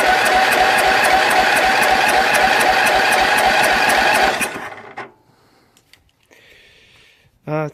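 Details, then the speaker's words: Jonsered LR 13 mower, Briggs & Stratton 12 hp after rewiring: starter cranks steadily about four pulses a second for four seconds, stops without catching; hard start, owner says battery is getting weak. "Alors, faut l'aider un peu. La batterie commence à être malade."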